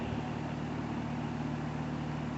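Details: Home AC with vent air at 82-83°F and 100°F outside: only the steady condenser fan whoosh and a low hum, with no compressor kick-in. A failed capacitor stopped the compressor; replacing it fixed the AC.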